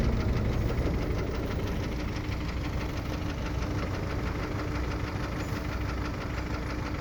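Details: Kia Optima 2.0 engine knock at idle: steady rapid knocking, roughly three a second, over a mid-pitched hum; knock from inside the engine, cause not yet pinned down.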